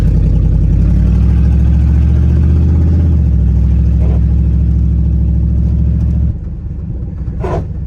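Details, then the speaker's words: 1999 Dodge Dakota R/T V8, $300 Copart truck, driving after self-clearancing the fender; steady engine drone with a rhythmic rub about four times a second, easing at the end; tire still catching the fender, better than before but still bad. "There you go. Oh yeah, that's not as bad. God, that's bad, whatever that is."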